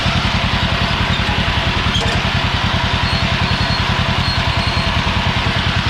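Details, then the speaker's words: Old Yazoo commercial zero-turn mower with 76-inch deck, revived after years sitting in a barn: steady small-engine thump at about 3.5 beats per second with a rough, gritty grind over it; the transmission grinds when out of gear. "Gear, you actually, you notice how it grinds when it's not in gear."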